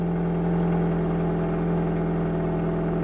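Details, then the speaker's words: 2004 Nissan Sentra 1.8L after rusted muffler and pipe replacement with a Toyota muffler, in cold, frosty weather: a steady, even exhaust drone with no puffing or ticking of a leak. The exhaust sounds sealed and healthy. "Sounds good now."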